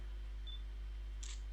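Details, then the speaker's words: Nikon B500 compact camera after broken LCD repair, auto mode, focusing then taking a picture: a single crisp shutter click with a short whir, clean and quick; normal shutter release. "Ah, it's focusing on the keyboard. Alright. There we go. Fine. Took that picture fine."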